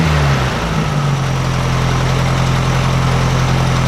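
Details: 1956 VW Beetle flat-four with Solex carburetor, after readjusting all valves to 0.006in feeler-gauge drag: steady even idle after brief blip, no stumble or tapping; much quieter, sewing-machine sound, earlier rattle gone from both sides; normal idle.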